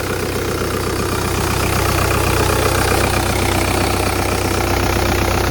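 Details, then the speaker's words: Used auction car with 129 on the mileage, at start-up. A steady, even idle with a smooth low hum and no knocks, ticks or rattles; sounds alright for its age and mileage, though coolant was seen. "Sounds alright. For a car this age and mileage. Sounds alright."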